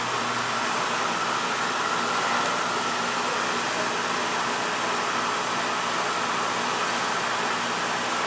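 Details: Older Beckett oil burner that was tripping safety and not firing, restarted after clearing an oil tank blockage and purging air, FF jumped out: even steady flame and blower roar, no pulsing or sputter, firing cleanly.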